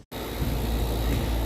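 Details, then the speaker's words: New A2L-refrigerant AC system after vacuum pulled, first start: steady low rumble with constant high hiss, settling into an even run at about 40 degrees, line set not yet insulated; normal running. "there it is, you can see it running about 40 degrees. That looks good."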